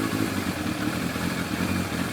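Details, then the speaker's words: Yamaha FZR1000 motorcycle at idle after carburettor balancing with a Digi Sync tool, vacuum readings 58–60 within 2, revs turned back down: steady, even, smooth idle with well-matched cylinders. Normal idle. "So we'll turn the revs back down again a bit. Running a lot smoother now."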